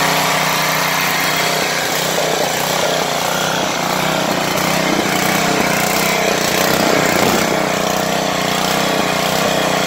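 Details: Petrol generator that would not start, after cleaning the tank and filling with fresh petrol: small engine holds a steady, even buzz with no hunting, misses or knocks, running cleanly at constant speed.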